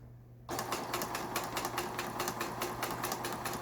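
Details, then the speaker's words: Brother PS10 small sewing machine, unused for years, after rotary hook and bobbin case repair and upper tension adjustment: quick even needle ticking over low mains hum, no knocking or catching; stitching normally. "요게 지금 정상적으로 박음질된 모양이 보이시죠? 이런 식으로 박음질하는 기계인데"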